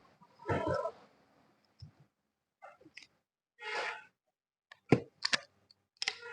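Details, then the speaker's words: Old-model Honda City, left front lower arm ball joint rocked by hand before removing its boot: isolated dull clacks, about seven in six seconds; excessive play, the cause of a long-standing kada-kada knock over bumps and gutters. "എന്നാൽ left സൈഡിലെ lower ആമിന് play ഉണ്ട് തന്നെ അപ്പൊ ഇനി നമുക്ക് ഇതിന്റെ boot ഇങ്ങോട്ട് ഒന്ന് അഴിച്ചു നോക്കാം ഇത് ഇപ്പോൾ തന്നെ കേൾക്കുമ്പോൾ നല്ല രീതിയിലുള്ള സൗണ്ട് ഇതിലുണ്ട്"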